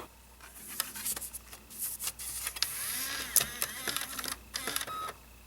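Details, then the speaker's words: 2009 Mac Mini DVD drive during a disc test: scattered clicks, ticks and whirring spin-up bursts in quiet room; strange-sounding drive, owner thinks it is not in the best shape; unusual optical drive noise. "I've never heard that sound before. Wow. There you go. What a strange sounding drive. It's not what I'm used to at all."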